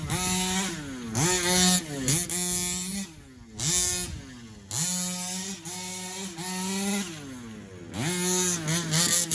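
Crisp two-stroke buzz blipped repeatedly, pitch climbing sharply and falling back cleanly each time; carburetor responding and running healthy.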